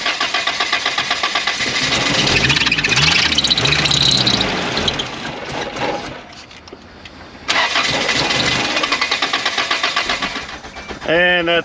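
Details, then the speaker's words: 1992 Isuzu pickup, believed 2.4 L four-cylinder, fuel gauge at zero: brake cleaner sprayed into intake, engine catches and revs briefly then dies back to cranking; lacking fuel supply, empty tank or bad pump suspected. "using my deductive reasoning powers, I have concluded at this point that this engine is lacking a fuel supply."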